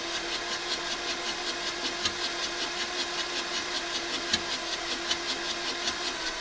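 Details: 1984 VW T3 single cab, 1.6 diesel, long unused junkyard truck; steady rapid cranking with even compression pulses, never fires; fuel confirmed at injectors, next check compression and timing.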